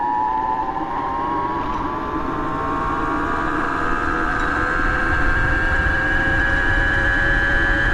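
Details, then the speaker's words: Bafang BBS02 mid-drive converted to 72V, riding at up to 31 mph in first gear under 1000 W: a loud piercing whine climbs with speed. The owner suspects something is still out of whack; not confirmed. "she's a screamer I don't know well I'm probably going to open it up and like poke around in it it seems like something's out of whack still"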